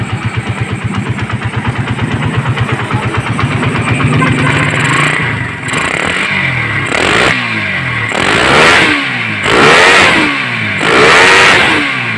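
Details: Suzuki Satria FU150 with a Keihin PE28 carburetor: even, crisp idle, then clean throttle blips that rise and fall with no stumble or popping, running normally.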